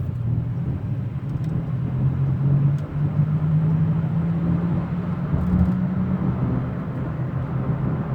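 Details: 2003 Ford F-150 4x4 pickup cruising: loud low roar heard from 30–40 mph, getting louder with speed, droning hum edging upward; owner suspects bearings, not confirmed; separate whirring on sharp turns.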